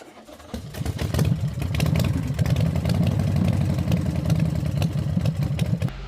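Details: 2022 Toyota Avalon with a random multiple-cylinder misfire and lit traction light, ignition coils checked and spark plugs replaced: low, uneven, stumbling idle under a drone; an injector is the suspected cause.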